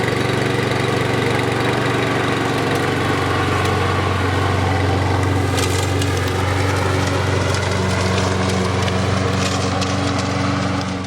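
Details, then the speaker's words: 2017 Toro Recycler lawn mower that started then stalled, after cleaning the gas tank and carburetor and adding fresh gas: runs steady and even throughout, no surging, hunting or stalling; carburetor was the problem. "All right, guys, semi-new lawnmower, but that was the problem. Just got to clean out the carburetor."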